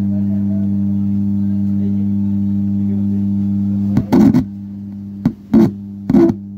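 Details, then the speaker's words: Amplifier with 4440 IC board, before repair: loud constant low mains hum under the guitar notes; traced to a faulty small capacitor. "दोस्तों नमस्कार आप लोगों ने देख ही लिए कि इसमें हमी की आवाज आ रही है और इसको कैसे दूर करें"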